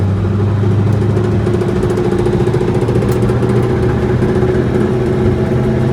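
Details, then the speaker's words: 1965 Ford Mustang coupe, cold, lugged in third gear: steady drone with fast rough knocking rattle under load; input-RPM specific, vanishes with clutch in; suspected flywheel-to-transmission/clutch assembly vibration, not confirmed. "And that noise comes back. It's definitely input RPM specific. So I can put the clutch in. Goes completely away."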